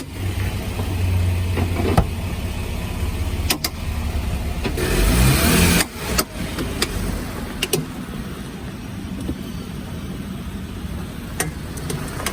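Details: Lifted Jeep JK reversing in four-wheel drive, window down, after a trail incident; sparse sharp clicks about every second over low engine rumble, absent in two-wheel drive: front driveshaft CV joint clicking, broken CV boot.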